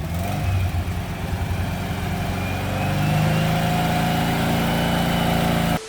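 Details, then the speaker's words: Rat rod Porsche with custom turbo and stock small 1- or 2-barrel carburetor: engine stumbles and surges raggedly then cuts out, running poorly, with the small carb starving the oversized turbo; a bigger carburetor is planned. "And I almost didn't even make it to the photo shoot because it's just running so poorly."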